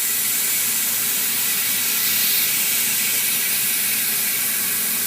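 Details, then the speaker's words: Tire being mounted on rim at home: after pushing the tire to seal the bead, a steady, even high-pitched air hiss as it fills from the air compressor quick-connect tip; normal inflation with bead sealed. "Sometimes it takes it a couple tries. Okay, you hear that? See, it's filling up now."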